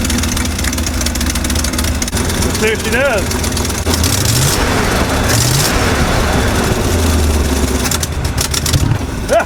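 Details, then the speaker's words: 1955 Chevy truck V8 that sat 23 years, after revival and running on fresh fuel: loud, deep, steady idle with an even lumpy beat, holding itself without hunting or stalling; running well. "Oh, it sounds so good."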